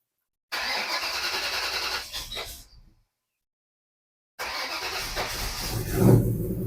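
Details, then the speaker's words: 1987 Ford Ranger truggy rock crawler after fitting a new, louder fuel pump: brief crank catches quickly and settles into steady running without stumble; easiest start in weeks. "there we go all right that's a good sign that's the easiest this thing has started in at least three weeks"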